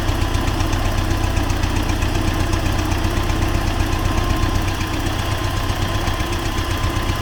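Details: T-40AM tractor diesel idling in about -14°C after a month standing, during the test of the differential lock; heavy chug with a loud steady dull knock about two to three per second, unexplained engine knock.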